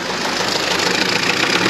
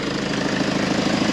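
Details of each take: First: 2011 Range Rover Evoque 2.2 diesel with failed engine, revved with camera over the engine: rough, uneven loud clattering knock rising with revs; engine knock, cause not yet known. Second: 2011 Range Rover Evoque 2.2 diesel after engine failure repair, injectors refitted, running with no exhaust fitted: loud, raw but even diesel clatter with regular pulses; smooth steady idle after repair.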